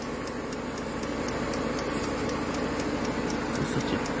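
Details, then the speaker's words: Peugeot 5008 diesel idling after FAP additive tank replacement, no low-additive dashboard warning; light, even tick about four times a second is the additive pump priming normally. "voilà donc là on entend bien la pompe qui est en train d'amorcer voilà"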